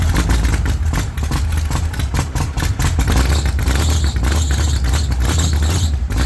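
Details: 1948 Chevy Fleetline small-block V8 (4-speed), first start after sitting a while; the owner thinks the motor is fixed and expects the heavily pumped throttle to make it fire up a little rich. Deep, lumpy idle with a few throttle blips, firing on all cylinders.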